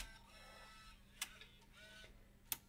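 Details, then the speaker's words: Bose 3-disc CD changer after repair, previously grinding and stuttering with stuck gear: quiet motor whir and two sharp clicks, no grinding; mechanism travels normally. "is the part where the gear was being stuck and you could hear it grinding so we do not hear that"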